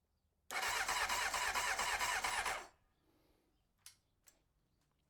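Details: 1993 Honda CBR900RR, first start attempt after spark restored: about two seconds of fast, even cranking with no catch or firing, then quiet; engine starved of fuel.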